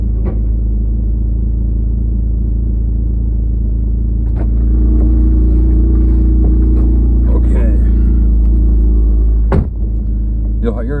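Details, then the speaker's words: 3G Eclipse Spyder GT driving, after a cold start following a fuel pump replacement: heavy throaty rumble with steady fast pulsing, louder than stock; exhaust leak behind the engine. "the car is a bit loud I have a bit of an exhaust leak and I weld and I can't get to it because it's like behind the motor"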